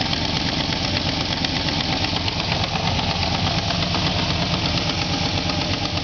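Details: Truck engine just started after sitting. It idles with an uneven tapping at roughly three per second. Abnormal idle noise, cause unknown.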